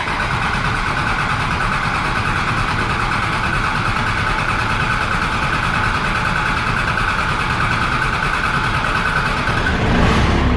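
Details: Cummins-swapped squarebody Chevy diesel, started after fitting dual plastic fuel tanks off one filler neck and priming the fuel line: even, steady clatter of about three beats a second, briefly picking up near the end; a healthy idle.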